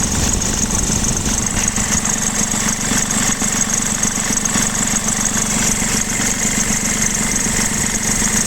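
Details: 2016 BMW F20 116d diesel at idle: constant high-pitched squeal from the ribbed belt drive, persisting after the belt and tensioner were replaced twice and the AC compressor bearing was replaced; source not yet pinned down.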